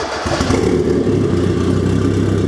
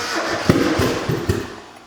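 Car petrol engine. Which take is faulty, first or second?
second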